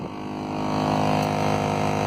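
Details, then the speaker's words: 2003 Toyota Corolla blower is quiet on low, but at max fan or AC it gives a loud steady whirring drone with a fixed tone that swells as the fan reaches full speed; leaves are caught in the blower. "today i'm gonna attempt to fix this loud noise when you turn the fan or the ac on on this 2003 corolla"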